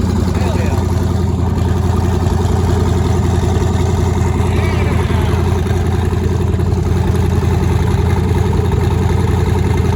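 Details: Nissan 240SX with twin-turbo LSX V8, first start after new turbo setup, out of gear, running on Holley Terminator X wizard base tune, fuel pressure not yet set: deep steady even idle with low rumble, no misses; normal idle.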